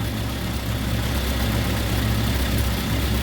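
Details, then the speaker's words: 1954 Ford Popular 103E idling low and unevenly before stalling for no clear reason. Fuel and spark are present, it won't restart until cooled, and the voltage at the coil jumps around; the cause is not found. "Right, it's just stopped again. For no reason."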